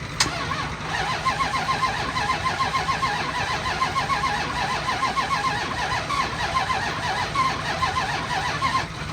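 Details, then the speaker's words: 2002 Dodge Ram 3500 utility truck, 117,649 miles, mechanical condition unknown; steady rhythmic starter whirr turning engine several seconds with no catch or firing; cranks but no start. "it'll turn over but it does not start"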